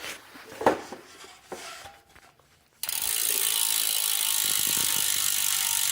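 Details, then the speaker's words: Stan's Neos rear hub on Stan's Grail wheels, freewheeling: after quiet handling, a loud, fast, even "swarm of angry bees" buzzing ratchet holds steady as the wheel coasts, far louder than the quieter Shimano Ultegra 6800 hub. Normal freewheel ratchet. "as you can tell the Neos hub is the loud swarm of angry bees type and the El Tigre is much much quieter"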